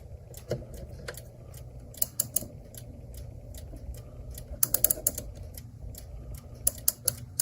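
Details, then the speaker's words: Clock, after bending the spring back for tension and reassembling: crisp, uneven ratchet clicks in small bursts as the key winds, each catching cleanly; spring now holds its wind. "It's kind of scary. Well, it's holding a wind."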